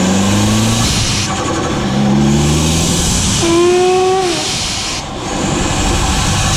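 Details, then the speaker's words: Dodge SRT4 Stage 2 on the road under boost: a rising whistle and hiss over the engine from boost escaping at a loose charge pipe coupler. "all right guys I don't know if yall saw that but it is the charge pipe coupler I saw it in the video whenever I watched it and thank goodness it showed up like that that makes my job easy"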